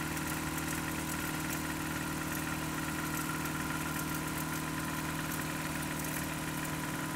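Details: Newly bought Toyota 4Runner 22RE on 5w30 oil, cold start and revs: steady light tapping about two and a half per second over the idle; owner suspects timing chain and/or rod knock, unconfirmed.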